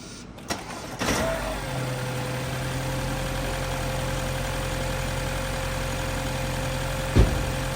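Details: 2017 BMW 330e starting after jump-starting the weak small front battery (it only clicked before): short crank, fires at once, smooth even idle with steady tone; normal start.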